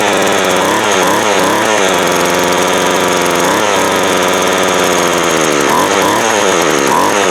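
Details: Craftsman 24cc 17-inch two-stroke weed eater, after clearing the wet-fouled cylinder; fuel lines and primer ball still to be replaced. Buzzy steady idle rising cleanly on throttle blips, no stumbling or misses; runs normally.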